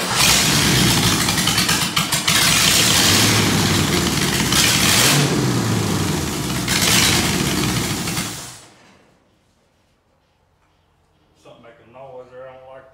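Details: 1947 Ford truck rat rod, first crank after the build, started by jumping the starter solenoid: loud, ragged revving with uneven surges for about eight seconds, then it dies away; engine catches but does not run properly.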